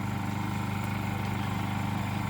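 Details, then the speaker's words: Honda EU2000 generator powering a mobile concession stand at a football field, recorded from a distance, under light load from lights. A smooth steady hum with a soft even pulse at low speed, nothing rough or knocking: normal idle. "this is a video of Honda EU 2000 this generator is being used in a mobile concession stand here at a football field here so this will kind of give you an idea of what it sounds like as they're using it"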